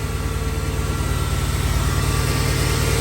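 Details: 2011 Mercedes-Benz GL 450 at steady, even low idle after replacing the A/C compressor serpentine belt: smooth pulse, no knocks, squeals or belt chirp; engine and accessory drive sound healthy.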